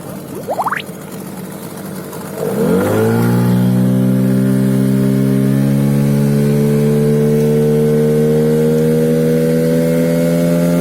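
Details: HANGKAI 9.8 outboard with an 8.5x9 propeller bought online; it catches, then climbs to a steady high buzz with a thin whistle on top, over-revving as if the prop isn't loading it, and the owner suspects the propeller, unconfirmed.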